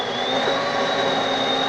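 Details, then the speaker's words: DeLonghi Magnifica S espresso machine after reassembly: steady, high, even whirring grind of beans for a mid-strength coffee, no labouring or rattling; grinder working normally. "You can hear the beans grinding up. So that's what a fresh brewed coffee may sound like in the beginning."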